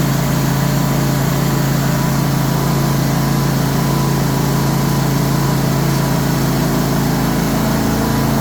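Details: Cub Cadet RZT 54 zero-turn after drive belt replacement, restarted to check whether the slapping noise returns. Steady, even low engine drone with no slapping knock; the new drive belt seems to have cured it: normal running.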